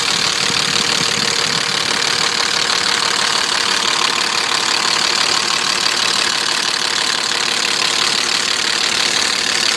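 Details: BMW E34 with M50 engine at idle: hissy idle with faint, somewhat uneven tapping about three beats a second; engine knock of unknown origin.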